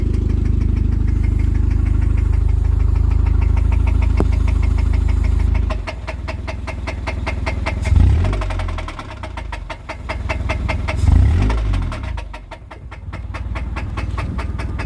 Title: Rod Knock in a 99 Civic